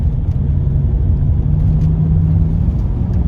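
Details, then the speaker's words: Range Rover L322 TDV8 diesel on a road drive during Cataclean injector cleaning for rough idle: deep steady rumble pulling under load, smooth with no knocks or misses; normal acceleration. "Sounds pretty good to me."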